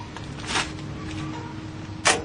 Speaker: there did you hear that click that means we are timed right at top dead center